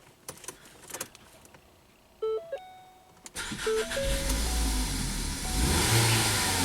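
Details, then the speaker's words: 2017 Ford Focus after owner's used DSG transmission and new dual clutch swap, at 60 degrees, mass airflow reading 0 g/s: catches after cranks, then runs ragged with popping backfires and unsteady revs, won't idle; cause unknown. "Something's very weird. It's like backfiring and then blah."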